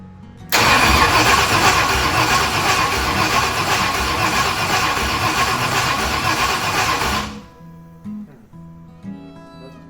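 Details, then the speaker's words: 1965 Ford Thunderbird FE 390 V8, no radiator, distributor loose, throttle pressed: even cranking at about four beats a second without catching; ignition timing still off, crank no-start. "just put my foot on the gas yeah timing still off"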